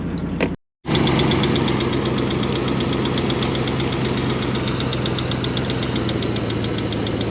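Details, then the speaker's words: One of several long-unused vehicles, started after battery charging and driven up the driveway: hot engine idling with a light, quick tick about four per second over a low rumble; ticking at idle, source not identified. "it's hot ticka ticka ticka"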